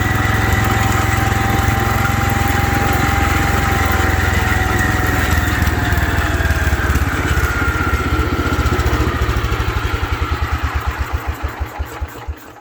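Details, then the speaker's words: 1972 Wheel Horse Raider 12 lawn tractor, stored 15 years in a shed, driven around the yard: engine runs fast and strong, then slows steadily until it stalls; governor not working, revs too high unloaded and dies under load. "Well, I think I need to look at that governor, study up on it, see how you adjust it, because it's not working at all. It wants to rev way too high, and then you get it under load, and it just dies. The governor doesn't ever pick it up."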